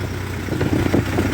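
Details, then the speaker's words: 1948 Ford 8N tractor at steady low idle with PTO engaged after cooling-system work, stop leak added to radiator, old PTO seal reinstalled: even idle, soft mechanical clatter, no misses or knocks; PTO shaft turning, not leaking. "so we engage the PTO we'll make sure the shaft is turning and it's not leaking good shaft is turning it's not leaking"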